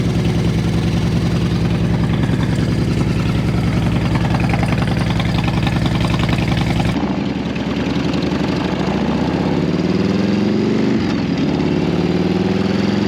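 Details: Barn-find Harley-Davidson V-twin bought unseen at auction, started up: it fires into a steady, loping low thump, revs rise briefly and drop back cleanly. Normal idle.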